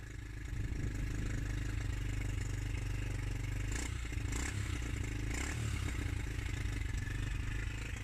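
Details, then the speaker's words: Suzuki GN125 single, unstarted for over a year, on its first start with fresh fuel, new battery and choke: a lumpy, uneven, chuffy idle that runs rough, and the owner suspects an exhaust blow. "And she's alive. Sounds awful. Sounds like a big wet fart. Certainly sounds like it's got an exhaust blow anyway."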